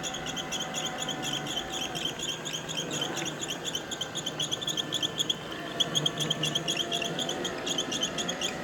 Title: iRobot making squeaking sound.